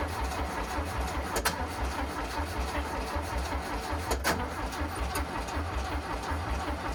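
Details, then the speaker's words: VW Bus engine neglected about 30 years, out of the vehicle, carb tuning unset, auto chokes opening, battery getting tired: steady, slightly lumpy low starter churning for seconds without catching. Prolonged cranking without starting; cause unconfirmed. "Who? Battery's getting a bit tired. >> Yeah, I was going to say."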